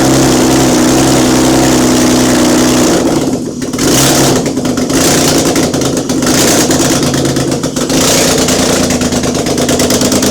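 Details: BMW E30 on first start in 6 years after an engine swap and rewiring, with the fuel pump confirmed working: the engine catches and settles, then revs cleanly on repeated throttle blips with no misses. Engine starting and revving.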